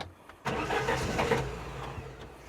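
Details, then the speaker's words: Classic Saab barn find, stored 32 years: short, uneven cranking that briefly catches, then fades without settling to an idle; the crew wonders whether it has run out of petrol, unconfirmed. Struggling to start. "Has it run out of petrol?"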